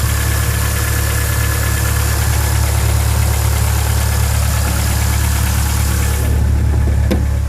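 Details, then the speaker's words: 2000 Ford Focus 1.4 after cleaning the idle control valve for a hunting idle: smooth, even low idle with steady pulse, no knocks, ticks, hunting or exhaust noises; idling normally. "she's there's no funny noises AP from the exhaust she sounds like she felt good there's no funny noises"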